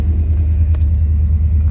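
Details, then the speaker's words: Restored 1990 Chevrolet V1500 Suburban Silverado 4x4, 350 TBI V8 with 700R4 transmission, cold start: starts right up, idles perfectly with great voltage; deep even rumble, no misses, knocks or ticks; normal cold idle. "as you can see it starts right up no she's whatsoever pressure as you can see it is cold Idols perfectly great voltage"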